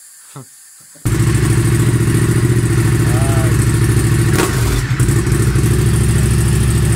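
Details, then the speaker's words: Honda Civic Type R EP3, 2-litre, with K&N filter and a very loud aftermarket exhaust, driven under throttle: a loud exhaust drone with an uneven, stumbling beat. A bad misfire, cause not yet known. "I just got back from drive you all miss an interest in drive to say the least the misfire issue is it's bad when I gotta be honest fair"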